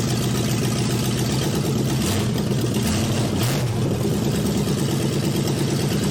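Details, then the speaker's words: Chevy Nova four-door junkyard rescue, open manifolds, on jack stands in gear: loud steady exhaust rumble with whirring driveline, brief shift blip; engine running, rear tires turning. "thank you tires were moving now I was looking at the driver's side Tire not the passenger side from the seat and I didn't see it moving as much"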